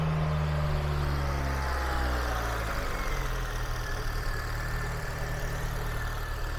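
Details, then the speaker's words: Mazda MX-5 1.8 VVT with Jenvey ITBs on ME442 ECU base map, first start, no idle control valve: revs blip then drift down slowly to lumpy idle; suspected sticky throttle, throttle bodies not yet balanced. "now if you can hear that slightly sticky throttle but i haven't balanced the uh throttle bodies yet"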